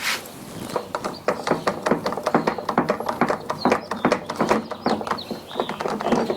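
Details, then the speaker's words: Exmark 21-inch commercial mower, wheel turned by hand, engine off: irregular gritty clicking and crunching about twice a second; worn wheel bearing, side uncertain, either wheel possible. "kind of sounds like it's coming from the side but to be honest it could be either one"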